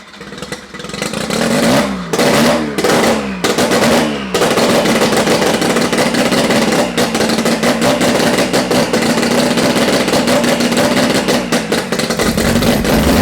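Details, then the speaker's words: Mazda 13B rotary engine for a Thai longtail riverboat, jump-started off another RX-7 rotary, on its first start: cranks a few times, catches, then buzzes and revs unevenly at high pitch as it warms; it fires and runs. "fire up the first start of the titanic 13b rotary powered tie longtail riverboat hell yeah baby"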